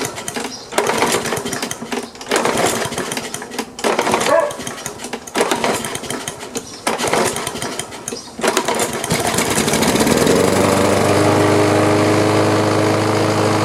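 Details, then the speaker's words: Free older Troy-Bilt OHV mower with a metal carburetor, fed carb cleaner and barely any gas: several pull-start strokes, then it catches and drones steadily, puffing a big cloud of black smoke, and runs a while. Hard starting. "well it started it sure was a big cloud of black smoke there but it started and actually ran for a little while"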